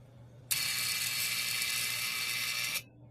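A dry, fast ratcheting rattle with a hiss-like high edge runs for about two seconds then stops; something in the fridge is chattering mechanically.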